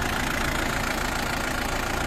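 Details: Isuzu D-Max diesel with a low-power, no-start complaint and diesel leak: steady low diesel clatter at idle holding an even beat until shut off; normal idle.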